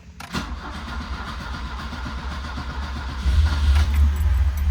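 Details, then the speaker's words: 1977 Alfa Romeo cold start after letting the fuel pump prime about 30 seconds: uneven cranking for a few seconds, then it catches and settles into a deeper, louder steady run; normal cold start. "So you can see, yep, cold start. Okay, let's give it a shot."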